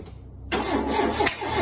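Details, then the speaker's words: Ford Mk2 Capri 2.0 GT Pinto with a newly fitted distributor, spark present, firing order 1-3-4-2. The starter spins steadily for over a second but the engine never catches. The distributor was a tooth or two out, so the ignition timing was wrong; cranking no-start. "okay something seriously wrong there okay so apparently the distributor is better if it's in the right place so yeah when we when we we put the new distributor in it obviously it must have been out a tooth or two and it just couldn't quite get it around enough"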